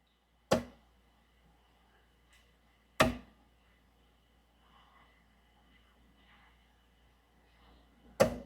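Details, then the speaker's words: 2014 Jeep Grand Cherokee with network faults, seat switch held: three sharp clicks several seconds apart as the seat motor circuit breaker trips; a stuck seat switch is suspected but unconfirmed. "you can hear this seat breake seat motor circuit breaker tripping un unless one of these switches was stuck he's not complaining about the battery going dead cuz theoretically that would kill the battery"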